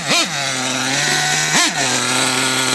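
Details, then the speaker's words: LRP .32 nitro engine in a Traxxas Savage revving high with two quick throttle blips; good power, but a faint rattle; owner suspects bad bearings, not confirmed. "and I tell you what it has to good power but I'm here some kind of slightly rattling noise so I'm not sure what it is probably the Bears are going bad or something we'll see"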